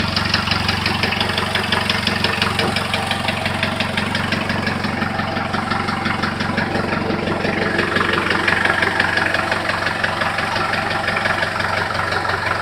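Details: Engine at idle with a sharp, even tapping knock nearly three times a second riding over the engine note; source of the knock unknown.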